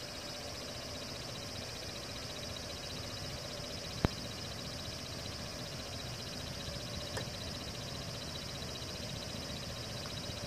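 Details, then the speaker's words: Xbox One console with game paused: steady fan hiss with faint high whine and odd croaking, chirping texture from the internal cooling fan, new for a couple of days after being quiet before. "hear that weird sound the fan is making inside yep it's been doing that for a couple days now"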